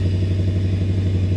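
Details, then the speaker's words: Toyota 1UZ-FE V8 swapped into a Land Cruiser: lumpy, loping idle where some cylinders fire and others drop out, misfire from incorrect firing order; timing roughly right. "je ne sais pas lesquels certains mais nous avons du travail je ne suis pas sûr d'avoir bien compris"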